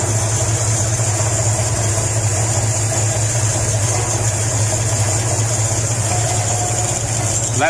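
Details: Mopar Hemi 6 in CL Charger build, nearly dead cold, first idle on dyno after short seven-second run: even, steady idle with light regular valvetrain ticking, no misses or knocks; rockers checked turning straight, cam running as it should.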